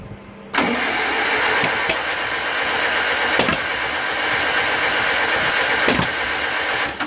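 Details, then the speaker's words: Rebuilt 1947 Farmall M tractor, first start after rebuild, magneto internal timing rechecked: engine catches and roars unevenly with sharp pops, shooting flames out the carburetor; owner suspects ignition timing is off. "well we just shooting flames out to carb now so I don't think we're on"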